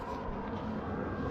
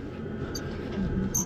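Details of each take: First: Volvo FH truck cab suspension, rechecked after a squeak was traced to a suspected cab shock absorber. Only a low, even diesel rumble as the cab moves, with no creak or squeak: no squeak now. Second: Volvo FH truck cab squeak heard from inside under the panel. Driver first suspected the sun visor, then found it seems to come from a cab shock absorber, not confirmed. Two short high chirps about a second apart as the cab rocks, over a low rumble.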